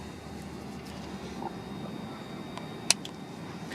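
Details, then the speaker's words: Honda N600, likely 1970, with a swapped-in Yamaha FCR motorcycle engine, bike ignition switch and ignition box, battery due to move to the trunk: one sharp click over a steady hiss as the ignition switches on and the neutral light lights; normal power-up. "and when you turn it on I don't know if you can hear it but it clicks you can hear the ignition fire up and then the neutral light comes on"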